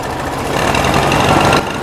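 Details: 1969 VW Beetle air-cooled flat-four idling after the timing was strobed, starting cold: the rpm rises and the idle smooths out as it warms, even and unbroken with no knocks or misses. Timing reads about 31–32° full advance; normal idle.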